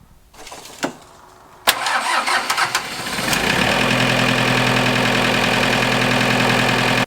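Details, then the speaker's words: Diesel tractor after glow plug relay and control module replacement fixing glow plugs not staying on long enough: a couple of seconds of cranking, then clean fire and smooth steady idle; normal start. "well there you go now we've got it started and you know three different ways or three different things to check to be able to solve that problem"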